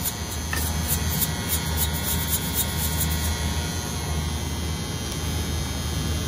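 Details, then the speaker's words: Reach-in freezer reported as noisy: steady low electrical buzz of constant pitch from a faulty contactor in the control panel, a two-pole contactor. "I can hear it there's a contactor in there and the contactor is buzzing"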